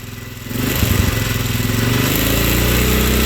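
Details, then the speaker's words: 2004 Polaris Sportsman 400 started after sitting: engine catches and revs with an uneven, stumbling beat; runs rough, survives a little throttle but dies when given more. "maybe Maybe if I give it just a little bit of throttle it kind of doesn't die but as soon as I give it more it will die it's like wants to die"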